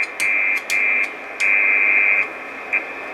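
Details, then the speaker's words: 12 V 30 A supply with S-400 PCB in a metal case with metering, heard on an IC706 HF rig near 2.9 MHz: bursts of a steady buzzy tone around two kilohertz over hiss; RF interference from the meter display. "so this one here on 2.9 is coming from the display he peeks up around this part of the case"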